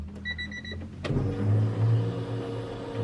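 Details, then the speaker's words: eBay turbo Honda Civic during dyno prep, newly installed 450 fuel pump on a relay harness run to the battery (temporary wiring): short steady whine of the pump priming, then a thump as the engine catches into a low even hum; normal. "can hear the 450 powering on, and then turns on."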